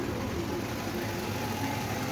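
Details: Nissan Sentra petrol engine idling smoothly after replacing the belt tensioner and belt (weak tensioner spring and failed bearing had caused vibration and noise at startup); no rattle, chirp or vibration; normal idle.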